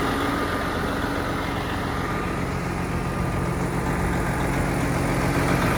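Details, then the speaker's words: Detroit-powered Peterbilt 389 with almost 306,000 miles, just started; heavy diesel idle with a rough puffing tick about 220 a minute on the rumble from an exhaust leak. "All right, fire it up, Brax. Got an exhaust leak."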